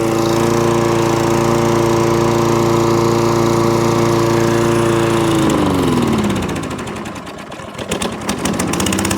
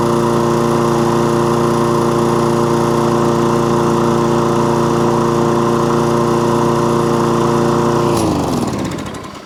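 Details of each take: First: Toro Recycler lawnmower started on choke with the dead-man bail held: steady drone for five seconds, then revs sag, hunt and nearly die before picking back up; hunting, surging and cutting out, traced to a partly blocked carburettor main jet. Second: Toro Recycler lawnmower with an intermittent fault, test run: steady, even drone for about eight seconds with no surging or cutting out, then winds down at shutdown; normal running.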